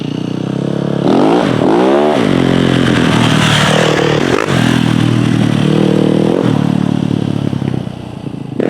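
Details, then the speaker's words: Yamaha YZ450F after clutch and kickstarter repair: kick-starts much easier now, big single blips cleanly with pitch following throttle, no knocks or misses; healthy, strong running. "oh yeah okay that uh that starts up way easier now man that thing's sick there's lots of power"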